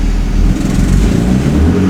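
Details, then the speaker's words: BMW E36 M3 with fuel mixture codes P1188 and P1189: deep, uneven, lumpy exhaust drone that sags and stumbles under light throttle instead of pulling cleanly; light-throttle bog, mixture fault suspected. "so it bogs down when I give it light throttle"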